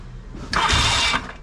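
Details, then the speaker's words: Yamaha XS650 twin after oil-burning repair, restarted after cooling with a little choke: low steady idle and quick clean rev blip returning without stumble; much quieter, no longer smokes on revving as before. Normal start and idle. "give it a little bit of Choke all yeah our sure is running a lot quier okay before it would be it' be W in out smoke when I do that it's not doing that anymore man it sure runs a lot better now"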